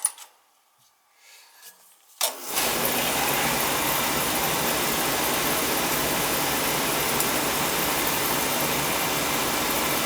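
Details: Oil-fired boiler (possibly New Yorker) with Tjernlund power venter that had been tripping off and not firing: silence, then the burner lights with a whoosh and settles into a steady, even roar without surging; firing normally.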